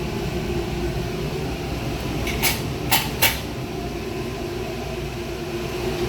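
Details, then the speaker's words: Oven burner in a BBQ concession trailer on shore power, pilot lit and oven turned to 350: even steady rushing roar with a few lid clanks, no sputter or popping; burner operating normally. "for demonstrational purposes i'll go ahead and turn that to 350 that way you can see your burner actually working"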